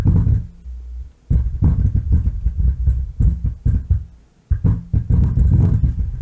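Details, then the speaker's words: Miller & Kreisel MX-90 subwoofer amp, inputs and speakers disconnected, low pass at middle and bass level at minimum: deep, uneven bass rumble throbbing in bursts with no signal; defective bass level pot, cured by replacing it. "it's got a bad control well we'll kill the power to it"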